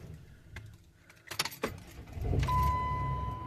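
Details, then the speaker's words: Car engine starting and settling into even idle under steady chime, no stumble after fixing misfire from a loose spark plug, reinstalled with grease; scan shows codes clear. "100% better. Scan code said it was all clear."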